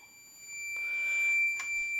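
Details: On a 1992 Arctic Cat snowmobile, the throttle safety switch circuit is checked with a tester wedged at the throttle before connecting the last cable. A steady high-pitched meter tone holds for about two seconds, showing a closed circuit with the safeties satisfied.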